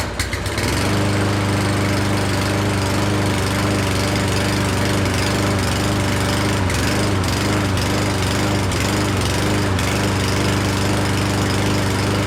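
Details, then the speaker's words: Certified brand push mower that wouldn't start, unused all year, choke opened, starting fluid sprayed twice: small single sputters and wavers, nearly dies, then smooths into steady even run. Engine surging after starting fluid. "so that actually is pretty easy I uh when I just sprayed some in there it fired up and then it was about to die so I sprayed it one more time as it was about to die and it kicked back on and then kept running the the whole time and eventually it kind of smoothed itself out"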